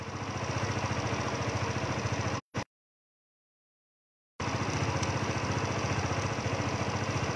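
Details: Yamaha Nouvo scooter restarted after ISC valve repair; small engine ticks over at a steady, even idle before and after a short silence, healthy.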